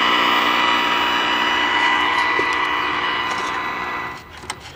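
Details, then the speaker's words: 1969 RCA KCS178A black-and-white portable tube TV recovered from a desert dump: high whine with irregular snapping crackles as it dies down, burning smell; arcing seen at the yoke, suspected failed varnish on yoke copper or flyback. "I think something is arcing something is probably the copper is failed the the varnish has failed on the Yoke or maybe in the fly back"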